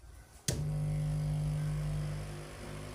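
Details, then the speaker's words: Green/red board amplifier switched on: click, then a loud steady low mains hum from poor grounding; the transformer's zero-potential wire is not earthed, and grounding it to an earth rod stops the hum. "can hear very well the hming sounds so for you to stop them now you have to attach the wire to the ground"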